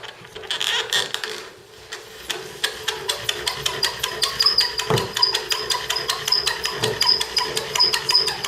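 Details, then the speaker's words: Bow drill fire-starting: rhythmic rasping strokes about once a second with thin high squeak; top socket needs lubrication. "but when you hear it squeaking like that it's usually because the top needs some lubrication"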